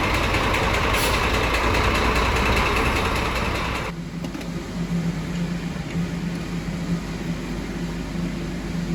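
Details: Scania DC13 truck diesel at idle: after a loud start it settles to a steady light clatter, about three ticks a second. The knock was traced to cylinder 5 (camshaft or conrod first suspected); camshaft undamaged; loose, broken rocker arms.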